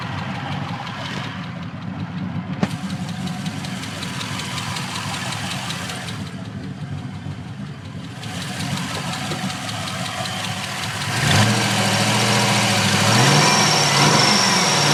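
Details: LS1 engine swap with 2.5 ls6 heads and 228R cam, warm idle: fast light ticking over low rumble, from driver-side rear, only once at temperature and louder underneath, rising with revs; owner unsure whether lifter or exhaust leak.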